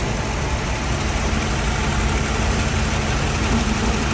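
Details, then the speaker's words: Holden VP with a GM3800 V6 has a loud, uneven loping idle with a skipped beat. One cylinder is dead from a failed coil pack, a different coil each of three times in 3–4 months. Fix planned: new coils and thermal grease on the DFI module. "I've gone through all three of them. And each time it's been a different coil pack that's"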